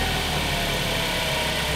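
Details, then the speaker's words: Ford Focus idling after throttle body cleaning and new transmission actuators, previously would not start; steady, even idle with no hunting or stumble, smooth hum with some hiss: normal idle. "now that the throttle body is clean and I have new actuators in there sounds great"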